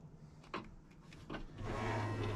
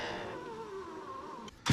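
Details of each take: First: 2000 Ford F250 Super Duty 7.3 diesel power window, after the track was greased: the motor hums smoothly through repeated up and down travel with clean stops and no grinding or binding. Normal operation. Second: 2000 Ford F250 Super Duty 7.3 diesel power window: the motor hums steadily, then sinks in pitch as the glass drags and slows near the bottom before thumping home. The track appears to grip the glass too much; binding at the bottom of travel.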